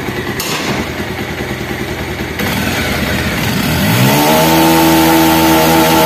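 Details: Bajaj Pulsar after a scissor gear modification to cure timing chain and engine noise: the engine settles into a steady, even idle with a clean tone after some revving, with no chain rattle or clatter; normal idle.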